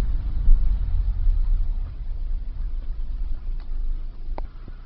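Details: 2001 Nissan Sentra SE 2.0: low, uneven, wavering rumble at idle; replacing the fuel pump helped a little, and replacing the weak mass airflow sensor fixed the rough idle.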